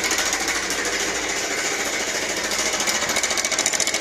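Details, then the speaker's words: Bajaj Pulsar 150cc motorcycle at idle: loud fast metallic clatter like a jackhammer; timing chain rattle, mechanic cites a faulty timing chain adjuster as a common cause. "लग रहा है कि engine खुल के अभी बाहर आ जाएगा ना हुआ है हेलो दोस्तों बड़ी गंदी साउंड है यह तो"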